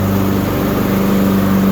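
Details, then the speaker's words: Used Husqvarna riding tractor test run after deck weld repair and axle seal replacement, mowing with smooth pedal drive: even, steady drone, constant low hum, no knocks, misses or surging; healthy under load. "I'll go ahead and put this chute down and we'll give it a test run here."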